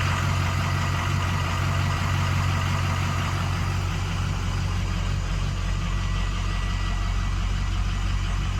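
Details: 2006 6.0L diesel, hot engine with ICP sensor unplugged, after new ICP sensor, pigtail and IPR valve: steady even cranking around three turns a second, engine never catches; hot crank, no start.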